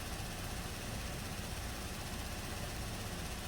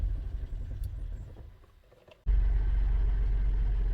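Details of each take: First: 2017 Buick Enclave with water in the fuel tank: steady, even low idle with no stumbles or surges, fuel rail pressure 580 matching desired, low pressure about 58; idling normally. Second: 2017 Buick Enclave with water in fuel tank after boat launch, after adding five gallons fresh gasoline and gas-line antifreeze; cranking then catches with deep uneven idle, misfire and flashing check engine light while water purges from injectors.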